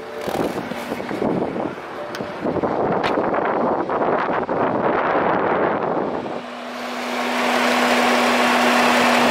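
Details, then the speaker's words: BMW F10 535d brought in for loud engine noise, owner says the electric cooling fan runs at high speed while driving: loud steady rushing roar with constant low hum; fault code for throttle flap noted. "차량이 운행 하는 도중에 전동 팬 이넘 고속으로 논다 라고 는 말씀을 하세요"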